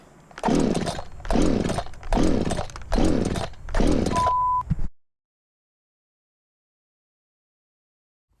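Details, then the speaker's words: Echo CS-590 chainsaw after reassembly, pulled too many times with the choke out: five cranking pulls about a second apart give only rough sputtering bursts with no catch; the engine is flooded and the plug is wet. "That was just too many pulls with the choke out. These echoes seem to flood way too easily if you pull it too many times with the choke out."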